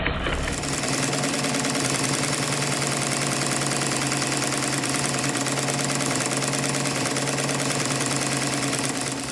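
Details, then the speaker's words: Stuart triple expansion model steam engine on live steam, run outdoors because the workshop is cold; even beat about three per second with the vacuum and water pumps clicking in time; runs quite well but needs more attention. "The strange clicking noises that you can hear are from the vacuum pump and the water pump. it seems to run quite well, but it does need a bit more attention."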